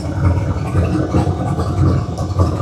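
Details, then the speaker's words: Turbo single-cab truck just started after a Holley digital dash repair, water temp not yet up, fuel and oil pressure good, mic walked away from it: a smooth, even low idle rumble with no knocks or ticks, sounding healthy. "cuz she is sounding good."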